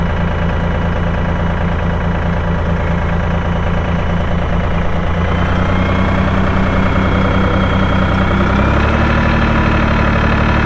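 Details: 2004 AGCO GT45A 4WD tractor, 52 hp diesel, 111 hours: steady, even diesel clatter at idle with a smooth low rumble, speed settling slightly higher near the end; normal healthy idle.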